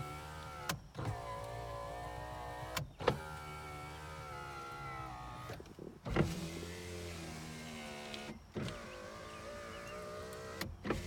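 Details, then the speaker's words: 2001 Toyota Camry 4-cylinder, 129,021 miles, non-running car with engine apart, power windows tested: smooth steady motor whir ending in a clean thunk at the stop, no grinding or slowing; windows work normally. "Looks like everything works well there."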